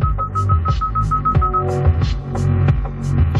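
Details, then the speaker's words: 2016 Hyundai Elantra with audio faded to the rear left door speaker: music comes out with a rough buzzing, distorted rattle on bass. Suspected bad speaker or blown voice coil, compared against the good rear right speaker. "i can definitely hear the buzzing sound let me take the camera to the back and i'll show you the difference"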